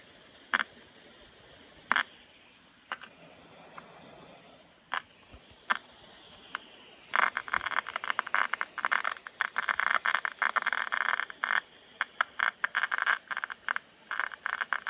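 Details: 2015 MacBook Pro making dry, irregular crackling clicks, sparse at first, then a dense rapid crackle; the cooling fan is said to be the cause and needs replacing.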